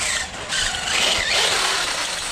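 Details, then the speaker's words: RC truck with 4000 kV HDI motor on a 2S battery, full throttle, battery near 67%: high thin squeal over the motor whir; no cogging, dry or binding drivetrain suspected, owner may inspect diffs. "as I say Sam is squeaky man that was cool"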